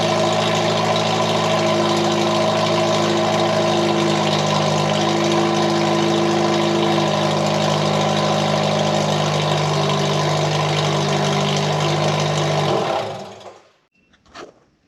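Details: 1989 Ford Mustang Foxbody four-cylinder after its fuel injectors were rebuilt: a loud, raspy, dead-steady drone held well above normal idle until shutdown; idle is extremely high and the original exhaust is terrible.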